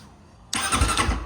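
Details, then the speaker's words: New 2023 Apollo M6 300 EFI motocross bike, water-cooled NC182MN injected engine, starter check after assembly: sudden whirring crank with a quick pulsing beat for about a second, clean and strong; start button and starter motor work normally. "Все, мотор, кнопка запуска работает."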